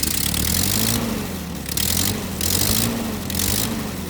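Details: Ford 9N tractor with an aftermarket three-arm replacement governor, revved manually: engine surges with each blip but settles at a raised speed instead of a proper idle; high idle, not returning to idle.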